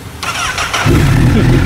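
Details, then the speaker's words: Honda CBR1000RR after gearbox repair of quickshifter-broken 3rd gear tooth, start at idle: short starter whir, engine catches within a second, steady idle without earlier knock; smooth through all gears; normal start. "listen to the engine man smooth like butter"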